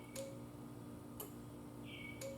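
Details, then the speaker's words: Yamaha Virago parts-bike rebuild, no-start checks: in neutral with the key turned on, sharp single clicks about a second apart over a quiet background. The safety relay is switching normally. "so right now i'm in neutral and i turn the key on and you hear the click click all right so we're in neutral so if i started it would start"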